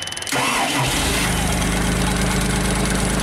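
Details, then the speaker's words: JLG 260MRT scissor lift, carbureted engine with electric fuel pump, starter recently replaced: short starter whir, engine fires and settles into an even idle but stalls after a few seconds; starts then stalls, spark loss or fuel pump suspected. "stalls out okay try again so a few seconds of runtime and then it stalls out"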